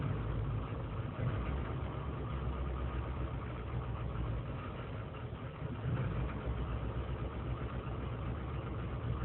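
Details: 2003 GMC Sierra Z71 5.3L V8 (non-flex fuel) cold start after overnight in single-digit temperatures, idling without throttle: uneven loping idle with irregular stumbles; lean and misfire codes, owner suspects failing intake gasket; smooths when warm.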